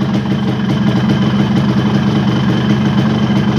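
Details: Yamaha RX-King two-stroke with a newly bought ignition switch and rewired contact circuit, restarted after the fuel was shut off: an even, smooth buzzing idle with no misses or surging, running normally.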